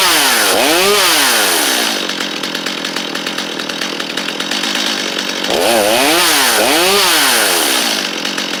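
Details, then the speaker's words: Stihl 250 chainsaw, free find, first run: crisp revs sweep up and drop back cleanly with a steady buzzing idle between; running healthy. "250 running though that's awesome"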